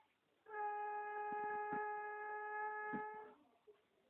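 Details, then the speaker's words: Fiat Grand Siena while driving: steady high squeal holding one pitch about three seconds, then stopping, from the rear wheel; it grows and its intervals lengthen as the trip goes on; cause not yet found. "Olha esse é um barulho sinistro tô fazendo na roda ele vai aumentando conforme a gente vai rodando"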